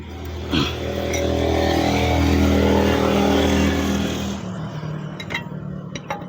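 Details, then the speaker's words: Mitsubishi L300 Euro4 after wheel bearing replacement: engine swells and eases, then a quiet roll with no hum or growl tracking wheel speed; new bearing runs clean, no more noise. "Wala na oh. Wala nang ingay."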